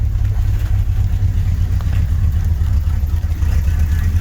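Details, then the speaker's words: 1983 GMC C3500 one-ton 2WD crew cab with the 350 V8 (not the 454), just cranked up after sitting a while: low lumpy idle with irregular pulses; rough running, cause not yet known, to be addressed later. "Sounds like crap. We're going to address that later."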